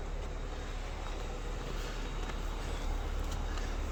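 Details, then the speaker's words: Car with an EVAP check-engine light but no apparent performance issues: a soft, low, steady hum with no knocking, ticking or misses, a smooth and quiet normal idle. "but it's sitting here running right now you can barely hear it it's nice and smooth"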